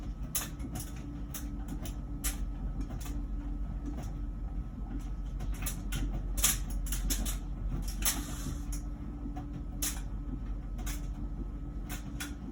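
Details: About one-year-old LG Wash Tower WKHC202HBA heat pump ventless dryer, before the new buzz begins: steady low rumble with irregular soft knocks and clicks about twice a second as clothes tumble; normal.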